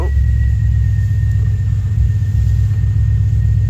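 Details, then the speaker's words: Kia Carnival 2.2 D4HB common-rail turbo diesel, 187,000 km, low power complaint, no check engine light: steady idle rumble with a faint constant high whistle; an intake leak is sucking in unmetered air. "as soon as we got our mass airflow sensor um yeah we've got a lot of air underneath air entering the engine i'm surprised there's no fuel out the back"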